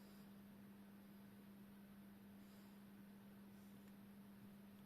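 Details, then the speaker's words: Old Jundes synchronous clock movement, test run after cleaning and reassembly, outside its case. A faint, smooth, steady hum with no ticking or grinding; it runs much more quietly than before. "okay no there we go so as you can hear it is running much much more quietly"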